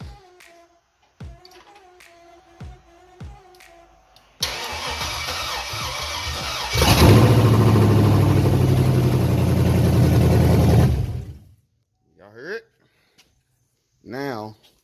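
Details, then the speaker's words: Rebuilt 5.3 V8 (bent rod repair, Summit/BTR cam) first start with open uncapped headers: cranks, catches and roars loud a few seconds then cuts off; too loud to judge noises, no obvious knock. "y'all hear that y'all I can't really tell as far as any noises because it's uncapped"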